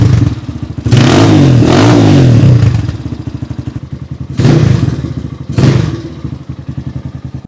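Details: Rebuilt XR200R-based single fitted with a Chinese motor and CRF/XR150 parts: crisp, even beat at idle, snapping cleanly through three quick revs without stumbling; strong, healthy motor.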